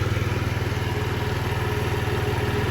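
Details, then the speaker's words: 2007 Diamo Retro 50 GY6 four-stroke scooter with a new intake tube, left idling to charge the battery after a starting-fluid start; owner suspects valve adjustment. Even, steady low putter with no misses, knocks or hunting. Normal idle. "It's running now. I'm gonna let it sit and charge up anyway with the battery."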